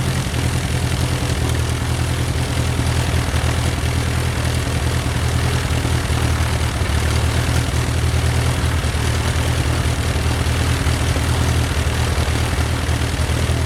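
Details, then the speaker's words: Titan IO-340 180 hp in RANS S21, just after first successful start following idle setting adjustment: smooth even low drone with steady propeller beat, no misses or knocks; clean normal idle. "Woohoo! We got engine start. Uh had a little bit of problem with the idle and some of the idle setting, but that's all we worked out. But other than that, engine start sounds great."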